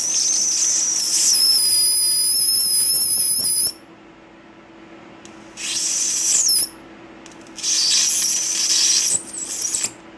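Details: Flyback driver arcing at about 10.5 volts before failure: sharp piercing high hiss in repeated bursts with drifting tones, arc frequency dropping off, burning bright green; flyback and transistors died, cause unclear.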